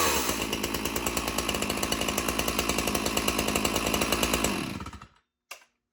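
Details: One of two free chainsaws, still holding up after months: strong, even two-stroke buzz held at high revs for four seconds, then winds down cleanly. Normal running.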